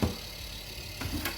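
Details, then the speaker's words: Fridge freezer: the fan blades strike a block of built-up ice, giving a steady low whirr with rough scraping knocks; the fix is chipping out the ice. "e queda congelado se queda un bloque de hielo y entonces lo que pasa es que deja de funcionar o hace este ruido porque está tocando las hélices con el hielo"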